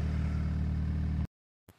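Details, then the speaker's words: Honda Civic EG, cammed B18B1 (Crower 405) on E85, 3-inch downpipe with resonator, flex pipe, 3-inch exhaust with resonator and muffler: deep, smooth, even low drone, no rasp or rattle; healthy quiet exhaust. "but as you can tell she is super quiet so that is a 3-in downpipe that I welded a resonator to on the downpipe to a flex pipe to a yonaka 3-in exhaust with a resonator and a muffler"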